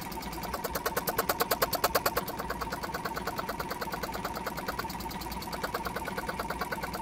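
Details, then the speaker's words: Jumper box air compressor with a weak internal battery, motor previously seized and still tight; chugs unevenly about three beats a second, surging and sagging like a car misfiring; owner hopes running it will free the motor. "it definitely sounds like that motor is a bit tight"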